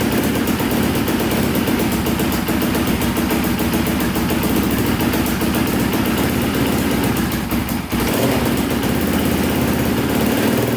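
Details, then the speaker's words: Polaris Predator 500cc quad, after a valve fix restored missing compression and with a substitute flywheel key, started on about the 17th attempt after choking: quick, even single-cylinder pop-pop run, no knocks or misses; normal running. "that's what i'm talking about oh she started finally that was awesome to hear that oh man after what like 17 attempts finally started"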